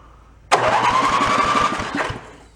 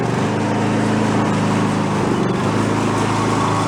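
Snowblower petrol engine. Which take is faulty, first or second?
first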